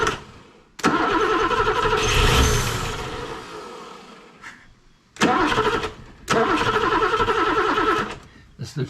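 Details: BMW E9 3.0 CSi barn find, unstarted for over 20 years: starter turns the engine in long bursts at roughly two beats a second but it never catches; cause not confirmed.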